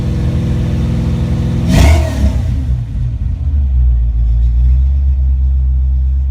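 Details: Ford Mustang Foxbody with rebuilt, tested A9L mass air ECU: one clean throttle blip rises and falls smoothly, then settles into deep steady closed-loop idle around 800-900 rpm without stumbling; normal.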